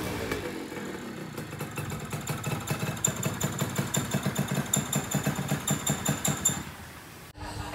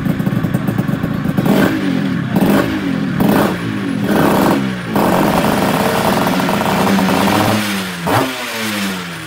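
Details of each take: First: Yamaha Tiara S120 two-stroke scooter before restoration: uneven, popping idle with loose irregular beats; compression leaking from block and cylinder head, to be repaired with engine rebuild and porting. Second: Restored Yamaha Tiara S120 (Thailand) two-stroke, engine rebuilt and fully set up: crisp blips rising and falling cleanly with the throttle, no knock or rattle between revs; normal two-stroke revving.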